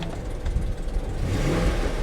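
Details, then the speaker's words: Salvage-auction car revving with the A/C off: a dull whirring climbs with revs and sounds bad, with no chain-type rattle; suspected belt tensioner or idler bearing, not confirmed. "you hear that that noise just sounds bad it doesn't sound like the rattle of a timing chain though"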